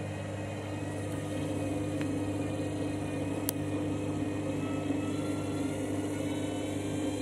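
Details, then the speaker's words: Washing machine on spin: loud droning with an uneven pulsing thump and occasional sharp bangs, the drum badly out of balance; violent unbalanced spin cycle. "This is what you call a dodgy spin cycle."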